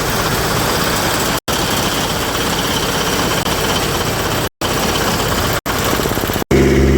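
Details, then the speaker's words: Kubota F3680 diesel 4x4 72-inch mower bought at auction: rough, stumbling run with cut-outs, blowing heavy black smoke; owner thinks a weak battery starved the fuel pump during cranking, running it out of fuel and putting air in the lines. "I think whenever I was having the battery issues whenever I was cranking it the fuel pump wasn't getting enough juice so I actually ended up running the engine out of fuel that's why it was spitting and sputtering"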